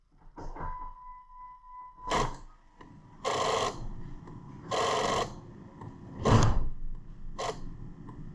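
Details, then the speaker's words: 2000 Jeep Grand Cherokee 4.0L with aftermarket accessories, key on engine off: harsh buzz from the ASD relay in the underhood fuse box, about one-second bursts with quiet gaps, sometimes constant; starts then stalls unless throttled; no communication. "That right there is the ASD relay just giving her hell. Keys in the on position."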